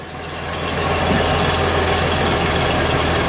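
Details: 1964 Chevy II idling in neutral, after shifting into reverse. Steady, even low idle that swells slightly then holds smooth, with no knocks or grinding; engine and transmission sound okay.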